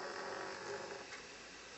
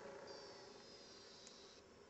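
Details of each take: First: Nintendo Wii disc drive makes a raspy, uneven whirring grind with a mid-pitched buzz when a Metroid Prime 3 disc is inserted, not normal; eject works; console being sent to Nintendo for repair. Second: Nintendo Wii with a Metroid Prime 3 disc: a faint motor whir, then a quick burst of light clicks and a clatter as the tray pushes the disc out. Eject works normally, though disc insertion sounds abnormal and the console is going for repair.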